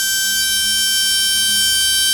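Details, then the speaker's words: RC brushless motor on a SKYRC motor analyzer (out-of-box timing 34): about 55,000 RPM; steady piercing high whine; normal run, timing to be dropped back to 20. "so we're at 46. 5.8 so we're 55 000 RPM"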